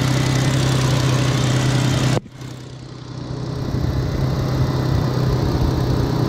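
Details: 2003 Ford Mustang 3.8 after replacing the fuel pressure sensor for code P0193 (lack of power, sputtering) and clearing the code: smooth, even low idle rumble with no stumble or miss before shutdown; normal idle, no leaks.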